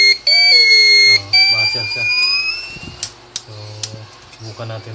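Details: TBE 2000W pure sine wave inverter in for repair. A shrill steady fault buzzer tone holds about a second, then breaks into shorter chirps. Cause not pinned down.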